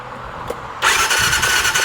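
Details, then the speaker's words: 2019 Massimo T-Boss 410 EFI after replacing the sprag (starter) clutch to fix the starter just spinning: steady high whir as the starter turns the engine over evenly, no grinding or slipping; starter clutch now engaging properly. "so you can see this is actually turning along with the starter so I'm going to check it one more time to make sure everything's"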